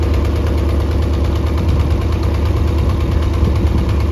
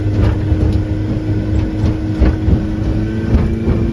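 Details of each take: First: Mercury 90 hp outboard on a Shetland 535, run on the flush out of the water: rough, uneven low beat with about two stumbles a second; bottom cylinder dead, spark plugs swapped to test. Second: Mercury 90 hp outboard on a Shetland 535 boat, after a spark plug change, at full throttle and trimmed up, reaching speed 60.9: strong steady drone at constant pitch with no stumbles or missing beats. It is running normally.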